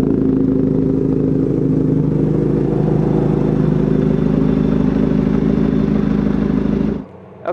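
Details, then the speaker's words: 1983 Kawasaki GPZ550 four-cylinder, reassembled after carburetor work, tuning and airbox work, fitted with a Kerker exhaust. Steady, even, throaty idle burble that holds constant until cut off; runs clean and healthy. "so we got the bike running nicely it sounds fantastic everything's put back together the Kerkar exhaust sounds like a really nice exhaust system on this bike"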